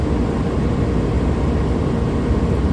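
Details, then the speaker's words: Suburban propane furnace in a Dynamax RV, after acoustic sound panels fitted in front of it behind the return air grill, heard from the back bedroom; steady, even low burner and blower roar, quieter, no rattles or surging; normal furnace operation. "coming back from the back bedroom now I can hear the furnace running but in a much quieter manner so I think it'll be much easier to sleep"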